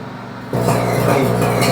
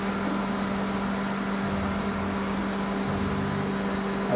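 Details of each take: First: Microwave run with water inside: loud mains hum with uneven crackle, sparking inside the cavity; magnetron and mica cover to be checked. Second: Microwave after magnetron replacement, heating water 30 seconds: steady even hum, no popping, sparking or fire as before; working normally.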